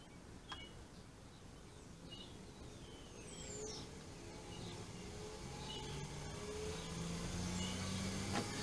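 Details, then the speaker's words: 24 V DC treadmill motor with speed control circuit, fitted to a Simat 101 lathe: smooth hum whose pitch climbs steadily as the speed is turned up, no roughness or cutting out; normal running. "can hear it going a little bit faster now that's the motor running at a decent speed"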